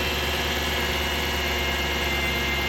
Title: What is that whining sound -2011 Dodge Durango Hemi, 115k miles